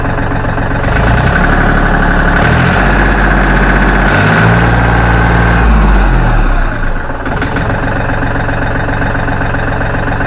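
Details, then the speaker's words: Small Yanmar diesel after injection pump repair and bleeding air from the lines at the nozzles: steady, even low chug with no misses or knocks, idling smoothly. Normal diesel idle. "we've got all the air out of it now and I'm going to let you listen to it and see how nice and smooth it is"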